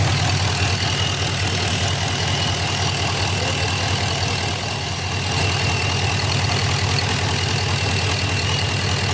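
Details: 2006 Chevy Impala SS LS4 V8 with codes P0118, P0300, P0307; steady airy hiss over lumpy idle, vacuum leak heard at a line; long-term fuel trim had been 20.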